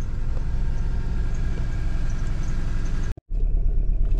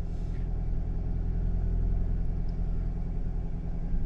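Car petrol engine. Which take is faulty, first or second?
first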